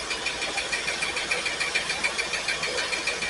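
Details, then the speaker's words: Pontiac Firebird, first start after fuel tank install and carburetor filled: lumpy, uneven idle with three or four stumbles a second from a dead cylinder; cylinder number 8 found dead, possibly a plug, with a couple of cylinders down. "This one's dead. This number 8 is bad."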